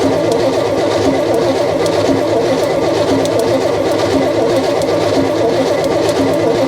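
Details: Long-sitting truck engine cranking on the starter with the carb side open: slow cranking at about one beat a second with an uneven, lumpy rhythm; owner suspects a valve hanging up, possibly bent if it is an interference engine, unconfirmed.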